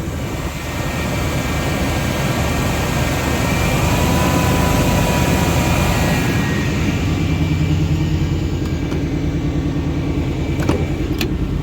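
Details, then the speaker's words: 1990 Chevrolet K1500 pickup V8 after oil pump replacement (old pump quit, oil pressure lost); steady, even smooth low-rumble idle with no knocking or ticking, oil pressure now restored, motor not hurt: normal idle. "It was the oil pump. That's insane. That sounds good."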